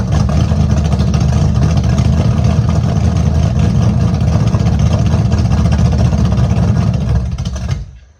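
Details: Small-block V8 Camaro after tune-up with fresh plugs, open headers, true cold start after sitting three weeks: loud deep uneven loping idle with choppy beat about two or three per second; healthy engine with aggressive cam.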